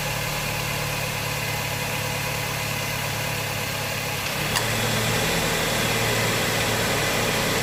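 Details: Honda Jazz 2009 1.5 GE A/C compressor after its noisy, failing clutch assembly was replaced: steady idle hum, clutch clicks in near halfway, then a smooth even run with no rattle or grind; quiet compressor clutch.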